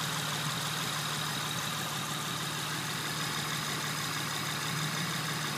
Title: 2006 Honda Accord v6 misfiring